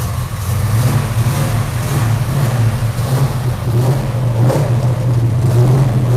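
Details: V8 with dual four-barrel carburetors that previously backfired: deep even rumble swelling cleanly as throttle is blipped, no pops or backfires; normal idle and revving.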